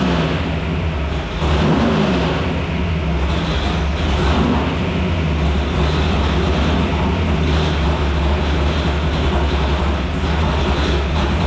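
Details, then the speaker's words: Old-school small-block V8 on the dyno during idle adjustment: steady, fast, even idle with a deep rumble that never settles down. A throttle linkage was partially holding the throttle open; the idle screws are being readjusted. "all right here we're just doing a little bit of idle adjustment I mess around with the linkages and one of the linkages was actually kind of partially holding it open"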